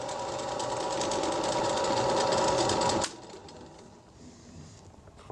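Steady mid-pitched machine hum with an even mechanical patter, then a smooth coast-down after shutoff; the lathe sounds healthy.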